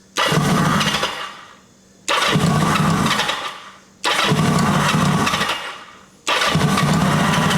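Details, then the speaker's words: 1980 Kawasaki KZ750 four-cylinder with a fuel line leaking at its connection: four bursts about two seconds apart, firing only while cranked and fading each time the starter is released. Owner suspects the ignition cuts with the button; unconfirmed. "It almost sounds like it's killing the ignition when I kill the starter button."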